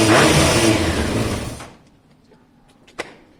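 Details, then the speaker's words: Honda CBR600F4i after a choke fix, started cold on choke with a weak, low battery: a brief crank, then it catches straight away and revs strongly before settling; a clean, normal cold start. "there you go I love it when a plan comes together"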